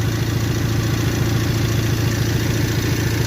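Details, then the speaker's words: 1998 Toyota 4Runner 4-cylinder, waste-spark ignition, towed in with an obvious misfire but no codes, scope diagnosis: uneven idle with a lumpy beat about twice a second, steady chug stumbling; misfire from a spark plug wire arcing to the plug tube. "we got a for oh no it's a Toyota 4Runner it has a Mist fire but it doesn't have any Cod"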